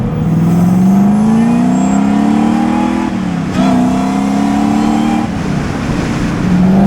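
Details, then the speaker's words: Drift truck V2 after swapping to a louder supercharger: clear whine rising with revs through each gear and dropping on shifts over the engine note; normal, louder blower. "It's definitely louder. The fact that I can hear it just cruising through the gears is already like a big change, which is great"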